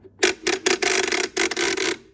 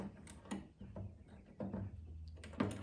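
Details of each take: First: 1948 Chicago Coin Catalina electro-mechanical pinball machine, score reel manually reset: quick clattering resets with a thin squeak; the reel won't return fully to zero, dragging back, so it needs grease. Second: 1948 Chicago Coin Catalina electro-mechanical pinball machine after repairs, coin start: four evenly spaced clattering bursts of relays and kickers from the scoring motor, then a bell tone; first clean, complete score reset.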